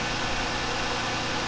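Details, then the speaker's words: Chrysler 300 after replacing a blown-out front crank seal and fixing a loose timing tensioner that caused a squeal, running without the air filter and before coolant was added: steady, even idle hum with no knocks, rattles or squeal. "There we go guys, it's running. There you guys go, it's running, the car's running."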